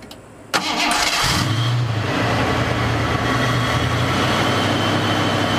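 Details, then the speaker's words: Cougar started after its misfire was addressed: brief crank, then it catches and settles into a steady, even idle with no stumbles or popping; the misfire is gone and it runs clean on all cylinders. "well that misfire is gone so that's a good sign and she sounds a hell of a lot better wait for the owl to go down that's where the true test lays"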